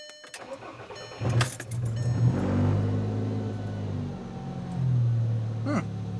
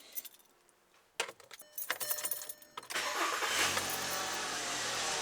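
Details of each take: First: 2007 VW Jetta MK5 2.5L, 200,000 miles, effectively straight-piped from the downpipe after rust broke the exhaust: starter whirr, brief stumble, then loud open raspy idle; exhaust leak. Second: 2007 VW Jetta MK5 2.5L with 200,000 miles, after repairing the rust-broken exhaust that had been straight-piped from the downpipe and clamping it: the engine cranks, fires cleanly and holds a smooth, steady idle with no exhaust leak noise. Much quieter; normal startup.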